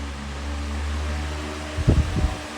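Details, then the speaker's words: iLIVING 20" high velocity floor fan ILG8F20 on high after tightening grille screws that caused vibration: steady low hum, no grille rattle or buzz, a couple of brief thumps; runs normally. "10 really isn't all that much even it's very quiet at the moment"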